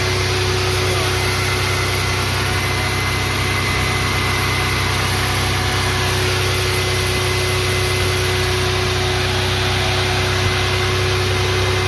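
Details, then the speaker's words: 1996 Toyota 4Runner with 3.4 V6, started right away after two years parked, warming up at idle: steady, even, smooth low hum with no misses, knocks or ticks. Engine running normally. "it's been Park here for a very long time and it still turned on right away"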